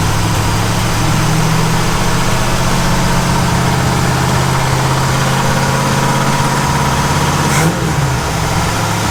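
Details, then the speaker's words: 1947 Ford F100 with Ford 302 V8 just after swapping a poorly running Holley for an Edelbrock carburetor, air cleaner on, freshly started: smooth, even idle with steady low rumble, no stumble or misfire; electric choke heard kicking in; normal idle. "all right that sounds pretty good that fired up pretty quick this thing feels awesome"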